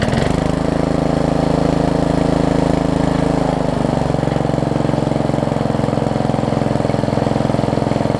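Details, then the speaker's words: Yard Machines 38-inch riding mower, 13.5 hp Briggs & Stratton, after adding a few ounces of oil, during drive test: steady, even drone settling to slightly lower pitch, no misfires or knocking; transmission works, blade return spring missing. "the good news is transmission works this sounds alright"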